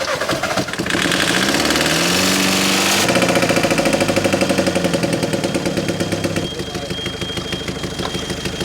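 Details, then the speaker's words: VW Caddy diesel, 490,000 miles, with EGR pipe disconnected: cranks and catches, then hard uneven clatter with lumpy pulses at idle. Rough running with EGR pipe off; Lambda sensor found coked up. "it was going to sound rough as hell with them this EGR pipe off"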